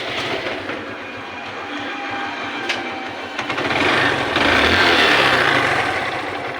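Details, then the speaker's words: Hero Glamour motorcycle after replacing the loose timing chain: even, steady idle with no chain rattle, then a clean rev-up; the previous engine noise is gone. "শুনতে পাচ্ছেন কত সুন্দর sound quality হয়েছে ইঞ্জিনের।"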